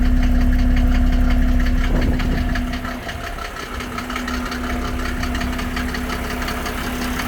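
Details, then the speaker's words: 1987 Mercedes 300SDL W126 OM603 diesel, cold start, fires first time: heavy, steady diesel clatter at cold idle, fast even knocking over a low drone, no smoke, before a diesel purge; cause unconfirmed. "And it starts, this is a cold start, and it starts the first time every time. And let's see here. So I'm going to let you hear what the engine sounds like."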